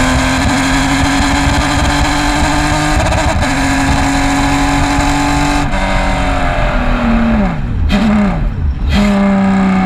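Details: Race car, Race 1 at 2020 PCA TRAC Road America: the engine pulls hard with a rough, stuttering note and sudden rev drops under load, a bad misfire; cause not stated.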